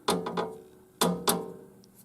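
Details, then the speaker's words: 1973 Gottlieb Home Run wedgehead pinball backbox: sharp woody taps in irregular pairs as back glass hits its retaining stops; original cushioning foam dried out over the years, small foam pieces can be added. "is because it's hitting these little stops up here that hold it in place. But whenever you push this forward, it actually touches the back glass in a couple spots and holds it in place."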